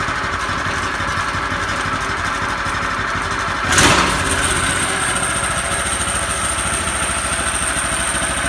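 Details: Harbor Freight Predator 212 single-cylinder in a 1960s go kart, started before the first test drive: catches with a quick burst, then a steady, even putter with no misses or knocks; normal idle.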